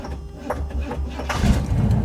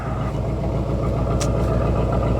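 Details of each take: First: 1986 Camaro Z28 V8 restarted hot after running: slow, uneven cranking over a second before catching; hard hot restart, owner suspects timing advanced too far and/or overheating, unconfirmed. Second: 1986 Chevy Camaro Z28 V8 at idle: a steady, even beat with a raspy, higher-pitched exhaust note instead of a deep rumble; the engine runs normally, and the owner dislikes the exhaust tone.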